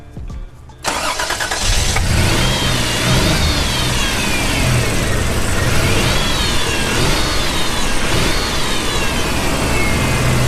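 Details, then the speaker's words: Toyota 4Runner after swapping a donor coil for the old one that had no spark: it catches and runs rough with an irregular stumble and a miss on the up-rev. Idle is fairly decent; ignition timing suspected off. "Has a miss. It has a miss somewhere. I think it's just the timing."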